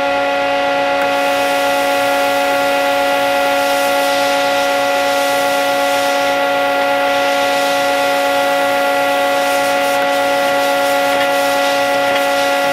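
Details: Old plasma cutter powered up at 30 amps after freeing a stuck, sticking internal switch found during troubleshooting. Loud, steady blowing hum at constant pitch without dropouts: normal operation.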